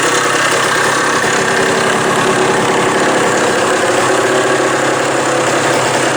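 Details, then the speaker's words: Old Suzuki two-stroke after fitting a new throttle cable and throttle: steady, even crackle with no misses, knocks or surging; healthy, normal running. "this a pretty nice little bike here this thing's got a pretty wicked uh Power Band in"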